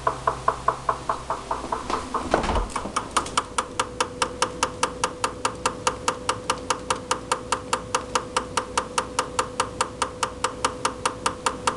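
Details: Recently purchased GE refrigerator: sharp steady knocking, two to three per second over a faint hum, from inside the upper-back left of the freezer, lasting up to 2 minutes, 2-4 times daily; technician called it normal operation, owner disagrees.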